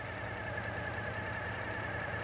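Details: Suzuki TL1000S V-twin with throttle body fuel injection idling after throttle body synchronization; even steady low idle, no hunting or stumble between cylinders; normal idle.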